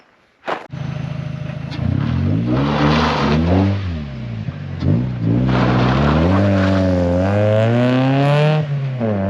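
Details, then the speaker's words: NB race Miata driving in the canyons; engine revs rise and fall with harsh metallic scraping rasp under braking, horrible metal-on-metal grinding; brake pads worn to metal, to be fixed with new pads and rotors. "As you saw, the brakes are really messed up and they're like grinding metal on metal, like the noise is horrible."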